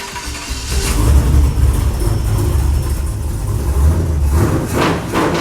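Engine fires and revs cleanly with a deep, even note and no stumble or miss through the rev; runs healthy.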